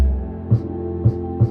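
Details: New budget Monoprice 12-inch subwoofer playing deep bass: a brief buzzy rattle on each hard bass hit, caused by a loose internal wire slapping against the port tube.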